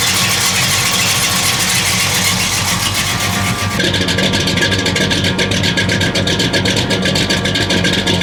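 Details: 1969 Buick Special Deluxe 430 big-block with big cam, after opening the fully closed choke: uneven loping idle, rhythmic chop about two and a half beats a second, settling steadily; runs much better, good oil pressure, water temp rising.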